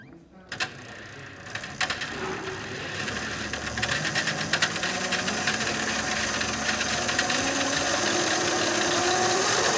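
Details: Quad converted from gasoline to electric motor; faint motor whine climbing in pitch as it spins up, light mechanical clicking from the drive; normal running.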